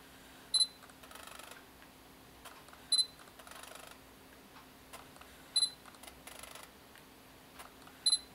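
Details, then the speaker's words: Sigma MC-11 adapter on a Sony a7R II with wide focus area, second day of testing, in a quiet room: each focus-confirm beep is followed by about a second of faint buzzy jittery chatter. Owner thinks it comes from the focus mechanism; not confirmed. "so after it locks on focus there's a sort of a a jittery sound some sort of mechanism"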